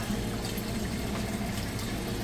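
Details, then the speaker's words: Amana top-load washer with a heavy load, draining after the wash cycle: steady low drain pump hum under rushing, gurgling water, no rattle or grinding; normal drain pump operation. "All right, moving out of the wash cycle now. It's draining that water out. You can hear it there."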